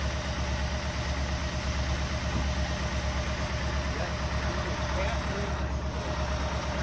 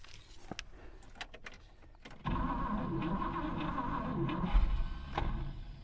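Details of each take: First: 1964 Buick Riviera, sat 23 years in a field, revived and warmed up with idle raised, listened to at the tailpipe: smooth, even V8 burble with no knocks. Charging at 13.2 V; sounds healthy. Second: 1964 Buick Riviera that sat 23 years in a field, carburetor float possibly stuck. The cranking whirr catches briefly, then the starter drive lets go as the engine tries to fire; the bendix disconnects as soon as it fires.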